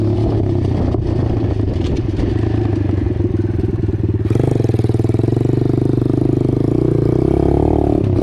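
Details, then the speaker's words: Apollo DBX-18 single-cylinder dirt bike after a transmission rebuild with replacement X-PRO main and counter shaft gears and a full gasket kit: it pulls cleanly with brief dips at each gear change. It shifts through all gears normally. "That the Amazon gears that I got worked out pretty good. Shifts out through all the gears just like it should."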